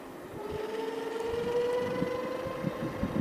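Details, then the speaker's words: Fiido L2 folding eBike, 48V 350W geared hub motor with internal ring gears, accelerating to 25 km/h: rising whine climbing in pitch over road rumble; normal hub motor noise under acceleration. "makes a bit of noise, and I'm at 25 kilometers per hour. That's amazing. It has a really good acceleration."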